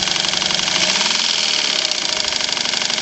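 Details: Honda B100 outboard, estate-sale find, with about an eighth inch of free play in the flywheel: steady, fast, even knock tracking engine speed while running; deep internal knock, cause unconfirmed.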